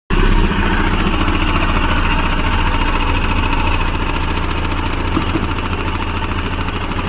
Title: Himalyan bs6 engine noise problem